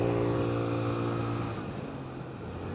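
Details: $100 scooter after new rear tire, engine and final-drive oil change and rattle fix, before first ride in years: steady buzzing run with even low drone and almost no rattle left; healthy.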